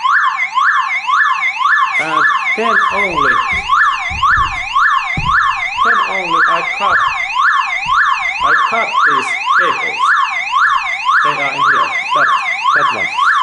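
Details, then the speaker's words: Car alarm tripped when the battery was disconnected, demonstrating the old alarm going off by itself: loud, rapid rising-and-falling wail about twice a second with no pauses. Car alarm siren triggered by battery disconnect. "first I take like this is like demonstration that how this alarm activates"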